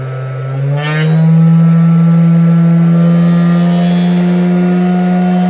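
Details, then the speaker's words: Cheap 500W air-cooled CNC spindle with speed regulation, screwed to wood, spinning up unloaded to about 10,000–11,000 rpm and drawing about 80 W. Loud steady low hum with a coarse buzz: heavy vibration at top speed, imbalance suspected. "now we're getting crazy vibrations it will do like uh 10 11 000 rpm but it's vibrating like crazy"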